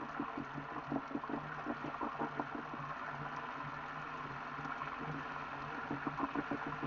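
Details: Elite Direto XR trainer after under 5,000 km: fast, rough rhythmic knocking and grinding under pedalling hum, louder when riding harder; rubber shreds found, owner suspects idler pulley or worn belt, unconfirmed.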